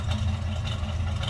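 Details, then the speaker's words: 1966 Chevrolet C10, heard from inside the cab: deep slightly uneven idle with gentle rhythmic lope that sounds like a performance cam; normal, good-sounding truck. "as you can hear sounds like we have a little bit of a cam to it"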